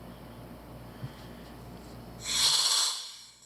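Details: Sherwood scuba second-stage regulator after adjustment: near silence, then one clean, airy inhale hiss that stops sharply with no leftover leak hiss; the regulator breathes normally.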